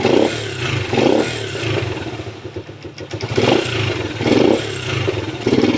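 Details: Rusi motorcycle revs up cleanly every second or so and drops back to a steady idle with no sputter or stall; it used to die when the throttle was twisted, and it runs properly after the spark plug was replaced.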